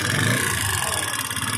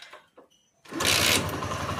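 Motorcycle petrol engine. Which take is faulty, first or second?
first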